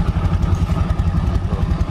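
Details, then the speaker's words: Yamaha Mio Soul automatic scooter, brought in for not moving and a noisy CVT: even, low putter with the rear wheel spinning freely and no belt-side rattle. Running smooth again; the earlier noise came from the CVT area. "lembut ya suaranya lembut lagi berarti permasalahan suara berisik tadi berpusat dari bagian area safety ya"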